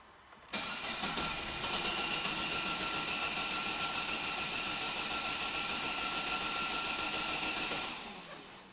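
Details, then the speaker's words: Corsa flex fuel, cold morning start on ethanol, cranks evenly at about three and a half beats a second for seven seconds and never fires; cold no-start. "hoje Ele trouxe para nós e esse cara a partir da décima capa 14ª a partir daí que ele vai pegar então eu vou dar uma partida aqui e vamos ver se ele vai pegar ou não"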